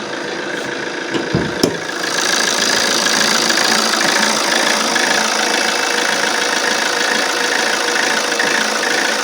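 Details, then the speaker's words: Alfa Romeo Giulietta 1.6 MultiJet diesel at idle: uneven chattering beat about twice a second, rising and sagging, with puffs of black exhaust smoke when it worsens; rough unstable idle, cause undetermined. "And as you can hear, the idle is really bad. It gets worse than this, even."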